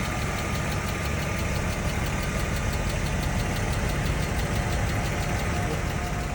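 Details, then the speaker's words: BMW M50B25: fast, even light ticking over a hot idle that keeps pace with engine speed. The hydraulic lifters ticked on the right side only once fully warm, never when cold; recorded before all 24 lifters were replaced with new ones. "как только мотор прогревался допустим ехал в пробке куда-нибудь приезжал мотор заведенный стоит и я прям слышал как с правой стороны был четкий Ясный звук гидрокомпенсаторов"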